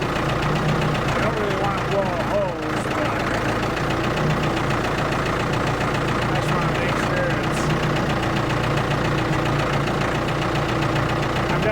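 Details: Ford 655A backhoe diesel at steady low idle with even clatter, no misses or knocks while hydraulics work; abandoned machine revived, engine sounds good, normal idle.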